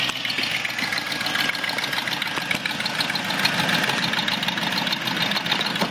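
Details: 2004 Discovery that owner says sounds like a muscle car, engine running. A sharp, raspy ticking puff rides over it at a steady pace. Exhaust leak; the exhaust manifold gasket was replaced.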